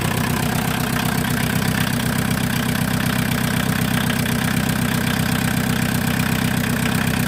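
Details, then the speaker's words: VW Mk2 Golf 1.6 diesel, first start after the engine was refitted, cold and without choke: steady clatter of about four beats a second with an extra loud rattle. Owner says it's noisy because a tube is missing; source unconfirmed, noisy cold idle. "I do need to get a new tube that goes down there. It is a bit noisy without it, so I will get a new one."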